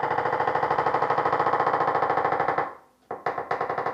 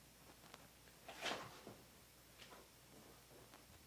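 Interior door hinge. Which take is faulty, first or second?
first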